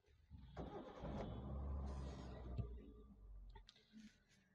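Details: Old Hyundai Santro 1.1L with poor pickup and mileage, after replacing MAP sensor and clearing fault code: brief crank, engine catches and settles into quiet, even idle with no misses; clean, healthy start.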